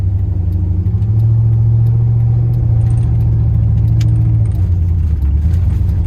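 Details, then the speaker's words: Chevrolet Silverado after exhaust manifold gasket replacement, small leak still to be tacked and EGR fix pending; revs smoothly with deep, even exhaust note and intake rush, no ticking or leak hiss; normal engine revving. "Sounds so damn good now. Just nice and quiet. All you hear is motor noise or the exhaust from the back."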